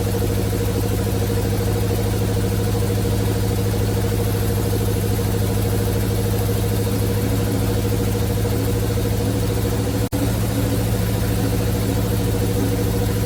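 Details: 1971 Chevrolet C40 truck V8 after carb cleaning: steady, even low rumble with no misses; running really well, blow-by minimal.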